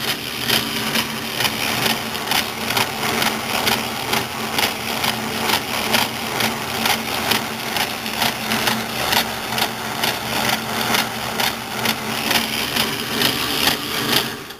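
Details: South Bend 9A lathe gearbox, left tumbler in hole A, right tumbler in hole 2 (4 and 4.5 TPI): steady whir with a dull thump about twice a second; thumps only in this setting, cause unknown.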